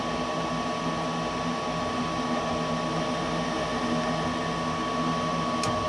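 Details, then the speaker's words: Goodman gas furnace not heating, air conditioning fine: steady inducer fan hum and a single click, no burner whoosh; 26 volts at the gas valve but it doesn't open, gas supply verified; valve to be replaced. "There go your 26 volt at the gas valve. See, but it's not opening."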